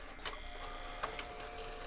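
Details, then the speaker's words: JVC HR-A592U VHS VCR load/eject fault, gears lubricated without effect: quiet motor whir and gear clicks as mechanism keeps cycling instead of settling, binding; it seems to always think a tape is inside, cause unknown. "so I think it just always thinks there's a tape in it"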